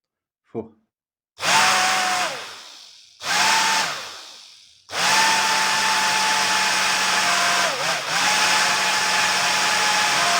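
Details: Worn original motor of a professional hair dryer used several years, test-run with a 0.22 µF capacitor added, smelling: steady high whine with rough hissing, cut off and restarted; worn, blackened commutator, motor not fit for use.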